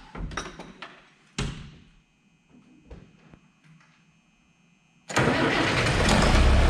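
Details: Diesel tractor started after resealing a leaking rubber O-ring bushing on a tube: a few clunks, then it fires instantly and holds a steady, even idle with no miss or hiss.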